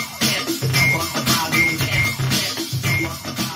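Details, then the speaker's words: Behringer MPA200BT portable PA speaker at half battery, playing music at modest volume; harsh gritty sound with highs breaking up on every beat, plus chirping from tweeter; fault suspected to appear once battery drops below a certain level. "It seems to be a fault with once the battery gets below a certain level. Loads of people have commented on this."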